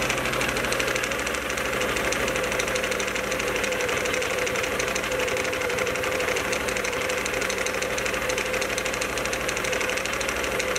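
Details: Can-Am Outlander 1000 XMR: the engine runs with a rapid, uneven clatter and banging over idle. Something is banging around in the clutch, and the drive clutch only moves a little instead of spinning. Cause unconfirmed.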